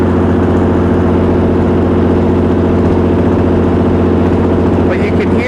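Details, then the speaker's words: Perkins 6.354 inline-six diesel driving a 45 kW Lima generator (Empire gen set), under load with frequency sagging below 59.5 Hz: rough, lumpy beat pulsing about twice a second instead of a smooth drone, with shudder and slight crankcase blow-by; uneven running, cause unconfirmed. "that engine is not running correctly it's not the smooth even sound that a diesel should have"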